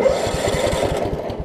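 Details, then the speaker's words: Craftsman rider, Kohler Command engine, over 20 years old, previously locked by a wrongly installed deck belt, belt reinstalled correctly: quick even cranking pulses, turns over freely with no binding, starts normally. "belt's not catching those colors are always finicky about the about that blade engage or the choke whenever you first crank it up"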